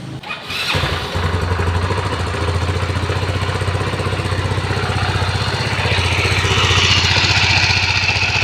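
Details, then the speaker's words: Yamaha Mio Soulty/Sporty scooter starting and idling: steady beat under harsh metallic rattle seemingly from the cylinder head, worn camshaft bearing; owner reports no power when revving, belt and drive parts recently replaced. "So ano sa naririnig niyo sa akin kasi parang nandito sa cyinder head sa tansa ko parang nasa cylinder head yung umiingay."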